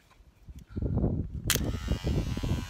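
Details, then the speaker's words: Troy-Bilt mower no-start, starter tested with power applied in wind: spins up with a steady buzzing whir and holds speed. It seems to work. "see it's working. Okay, so that starter is working beautiful."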